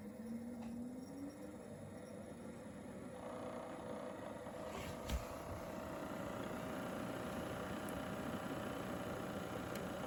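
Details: Pioneer DVL-700 disc player spins up with a rising whir, then a steady hum over a dry, uneven rattle at the beginning of a disc while the picture is fine; owner suspects a failing spindle motor, not confirmed.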